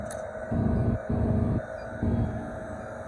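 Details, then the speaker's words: Walk-in freezer compressor with suspected slow refrigerant leak, switched out of defrost: hum keeps surging and sagging every half second, sounding choked off but never shutting down. "I hear the compressor change gears."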